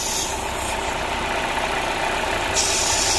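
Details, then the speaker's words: 2013 Chevy Sonic 1.8L four-cylinder with code P0171 (too lean), running: steady airy hiss over an uneven rough idle from a failed PCV valve built into the valve cover, letting in unmetered air; fix is replacing the valve cover. "you hear that kissing sound that right there is causing too much air go ahead and turn it off listen to that that right there is causing um too much air to go into the system and not enough fuel so it makes the engine idle way too rough"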